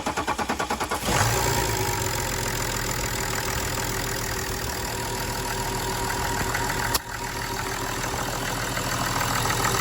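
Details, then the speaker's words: BMW F07 530d with N57 diesel cranks but won't start after metal from a faulty electric pick-up pump damaged the high-pressure pump, injectors, pressure sensor and regulator; after injector change and bleeding air at a cracked injector, about a second of cranking, then it catches and runs steadily. "so we're going to start it now with we cracked an injector off after pressurizing uper touch to bleed a bit of air out not a right lot come out so we're going to try and start it again and hopefully it'll run"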